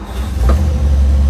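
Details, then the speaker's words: 1956 Ford Thunderbird, first start after fuel and cooling checks: the engine fired on its first crank of about 10–15 s and settles into a deep, steady rumble with no misses or knocks. "Wow. Fired right up."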